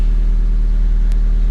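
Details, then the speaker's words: 1995 Honda Civic, exhaust after welding the broken hook where the leak was thought to be: deep, steady low rumble with no puffing or ticking at the joints, sounding sealed and like a Honda should; normal exhaust note after repair. "i think the hook is where uh it actually had the exhaust leak that broke and caused exhausted pretty much sounds like a honda should"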